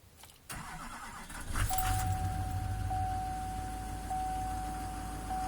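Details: LMM diesel pickup cold start in upstate NY: fires quickly into an even diesel clatter at raised high idle, about 1,050 rpm versus the normal 720, with steady firing and no misses; a healthy cold start.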